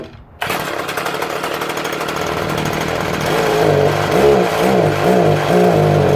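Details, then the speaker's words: Stihl HS81T hedge trimmer, 23 cc, built October 2013, primer replaced, started on choke after many pulls: it fires abruptly and settles into a quick, even two-stroke buzz with steady revs and no misfires; unusually quiet, running cleanly. "yeah this one does this one takes a lot of pulling to get it going how about"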